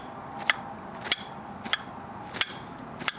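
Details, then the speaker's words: Chevy/GMC 6.5 diesel factory harmonic balancer with dry-rotted rubber isolator, inner hub separated from outer ring; sharp metallic clacks about every half second as the hub is rocked by hand, which at around 2500 rpm would sound like a thrown rod. "you can hear that knocking back and forth - I'm trying to do it as loud as I can but can you imagine that on your engine it let's say 2500 rpm you're going to think that you threw a rod through the side of the block"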